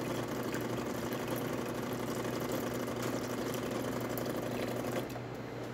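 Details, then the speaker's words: Jura Impressa F9 espresso machine after a new encoder was fitted to fix error 8, where the brew unit got stuck. Steady low pump buzz with an even rattle while dispensing hot water, with no grinding or surging: normal pump running. "but as you can see it's in color really great flow working amazing Palm water as well nice and steady stream coming out of the one"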